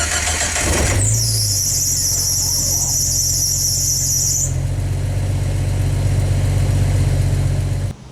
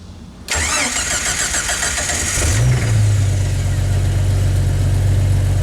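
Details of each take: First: Jeep Wrangler YJ at cold start: engine catches, then a shrill high squeal over the idle for a few seconds from a slipping fan belt; voltmeter dropped while it squealed as the alternator wasn't charging. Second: Jeep Wrangler YJ starting after its squealing fan belt was tightened at the 12 mm and 13 mm adjusters, belt showing no cracks: starter cranks briefly, engine catches and settles to a steady low idle with no belt squeal; voltage jumps up.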